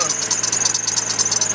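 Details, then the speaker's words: GMC Envoy engine running before tensioner pulley replacement: steady high-pitched squeak chirping about seven times a second; worn tensioner pulley, to be replaced in hope it stops. "a little squeak, as you can hear. Come on, little show. So I'm taking it there. Is that tension will pull it down now. Finna change it and hope that stops."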